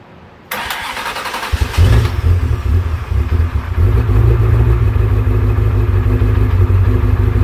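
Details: Salvage Ferrari 360 V8 cranks, catches and settles into an uneven, stumbling idle with lumpy revs: misfire from a false-air vacuum leak.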